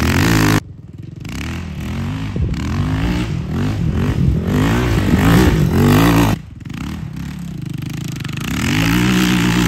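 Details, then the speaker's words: Yamaha Raptor 660R single-cylinder ATV with a new top end, adjusted valves and new battery. Thumping idle echoing off a tree, then clean revs that climb and drop smoothly without stumbling; normal running. "remember it's a big boy dude you can hear an echoing off that tree when it idles"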